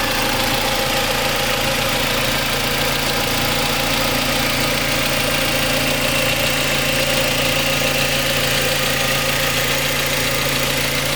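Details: Mazda MX5 Mk3 petrol engine (throttle by wire) at idle with a fast, light rattling tick over the hum; cause unknown, owner seeking diagnosis.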